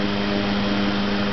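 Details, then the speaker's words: 1904 Wesco pancake electric fan, cast iron and brass, single-bearing shaded-pole motor with wire-coil shading coils and a heavy rotor, running on high speed: a smooth, even low-pitched hum with steady rotor whir, which is normal motor hum. "slowly but shirle there he goes that is high speed you can hear the Shaded pole motor humming there's a rotor spinning"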